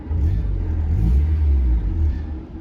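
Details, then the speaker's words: 1990s-era NA Mazda Miata, engine almost warm, after fixing a vacuum leak and a misfire: low, steady idle with no stumbling, low but not too low; idle screw now adjusts linearly; normal idle. "so far it's not stumbling at all the Idol's low but not too low"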